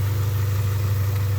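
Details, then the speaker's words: 1995 Honda Accord EX, manual, after the faulty oxygen sensor connectors were found to be the problem: low smooth steady idle with no hunting; the idle surging and dying in neutral at stops is fixed. "I was messing with my car see I went on it when I would do this like that idle would just want to die right there I'm just like start collapsing but she's back to normal she's good"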